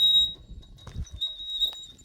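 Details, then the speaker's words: Roof turbine vent spinning: thin, steady high-pitched squeal, to be quieted by spraying WD-40 without disassembly. "more than likely it's coming from your turbine vent on your roof."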